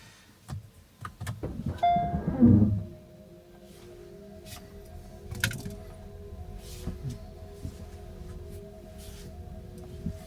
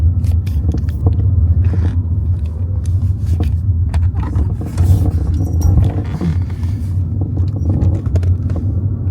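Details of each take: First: Kia EV3 GT Line S after one year, driven over speed bumps after spraying silicone lubricant on the tailgate lock mechanism: cabin road rumble and faint motor whine, the earlier tailgate rattle is gone. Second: Kia EV3 GT Line S after one year of use, driving before lubrication: irregular light rattles and clicks over deep road rumble from the loose tailgate (boot).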